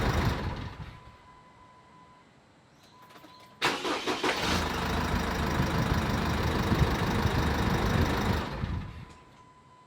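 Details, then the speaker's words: Jeep Wrangler CRD diesel after fan clutch replacement: quick start, steady idle with even fan rush, then prompt shutdown; fan blades stop within a turn or two, fan clutch healthy. "You can see that when we're starting the vehicle up, it's really kicking into gear and spinning away. I can feel the air, which is awesome."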